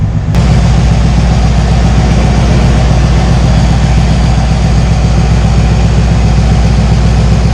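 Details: 1968 GMC V8 after an oil change and installing an oil cooler to cure low oil pressure and high oil temperature (about 30 psi at hot idle): steady, even idle with a smooth low rumble and no knocks, ticks or misses; normal idle.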